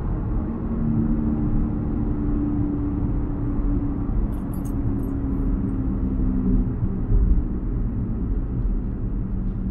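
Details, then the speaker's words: Peugeot 107 worn rear wheel bearing, left six months to worsen, coasting in neutral: a steady droning hum whose pitch sags with speed as the car slows. "we've got a wheel bearing noise now I've left this some B's got really bad because I want to get it on the camera"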